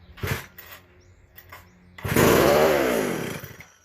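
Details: McCulloch SP125 chainsaw after sealing a gap between carb and intake: single quick rev rises and falls cleanly and settles with no runaway surge; runs properly now.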